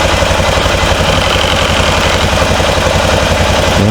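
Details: 2005 Honda Rincon 650 (TRX650FA) ATV, bought cheap as abandoned with suspected carburetor issues, on reserve fuel with a weak battery and rough-sounding starter; steady, even single-cylinder thump at idle with no misses, knocks or hunting; runs healthy.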